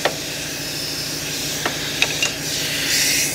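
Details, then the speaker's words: Volvo G88 diesel truck: steady sharp hiss with a few clicks, compressed air leaking from a fitting; system air roughly 8 bar when full. "so it's going to leak and make a noise but I'm just going to hook that straight air straight to that that diaphragm"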